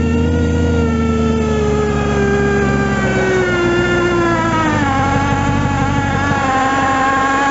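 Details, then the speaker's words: Outboard motor, abnormal noise from the moment it is started: runs steadily, pitch easing down then settling, with a rough metallic undertone. "Entonces, ¿qué pasó ahí? Ese motor tenía un ruido anormal."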